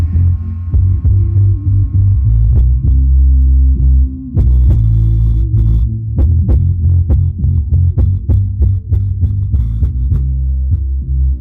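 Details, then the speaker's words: Rockford Fosgate P3 subwoofer after gluing the rattling part and drying overnight, at low test volume: deep bass notes thump cleanly with no buzz or flapping rattle; rattle fixed. "As you can hear, it's I'm actually pretty happy. No noise."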